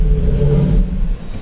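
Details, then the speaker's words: 2007 Nissan Maxima 3.5L put in reverse under load: the engine revs hard briefly, then bogs and dies. Backpressure measured in the cylinder hits 20–25 psi; the catalytic converter is fully clogged. "look at that 20 psi we have 20 psi back pressure that cat is 100% clogged"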